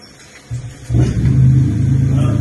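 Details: Toyota Vellfire: a deep, dull "kok kok" knocking as the steering wheel is turned, from the steering area, where a cracked component is suspected; steering knock when turning.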